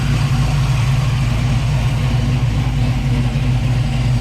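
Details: 1966 Chevy Belair, 461 big block V8, Holley Sniper with Hyper Spark, after fitting clocked high-output alternator for poor charging, battery had been dead: deep steady burble, even lope, no knocks, squeals or whine; normal idle.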